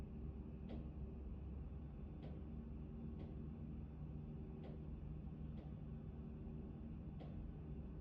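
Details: Actron Neo unit: sharp single knocks about every second over a low steady hum. Intermittent knocking, cause unknown.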